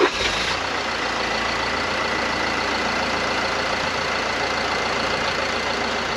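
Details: Mercedes Sprinter van diesel idling smoothly and evenly with a steady hiss on top and no hunting or surging, started after fitting two new vacuum control valves and checking them with a vacuum gauge; normal idle.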